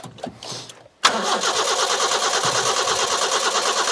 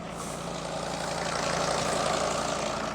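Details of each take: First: Petrol carburettor engine with coil and distributor, fuel poured into carburettor float overflow: steady starter cranking about three turns a second for seven seconds, never fires; crank no start, owner suspects lacking spark. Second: Mercedes Sprinter van with 602 diesel, just started after sitting abandoned two years, full tank, oil light out: smooth, even diesel idle with steady quick beat, no misses or knocks; normal idle, "listen to that purr."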